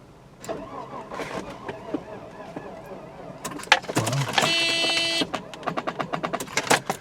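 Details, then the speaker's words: 1994 Mercedes-Benz E320 Cabrio (A124), suspected bad head gasket: hesitant, uneven slow cranking with clicks, about four strokes a second, never catches; battery suspected weak, later started on another battery. "I guess that battery's crap."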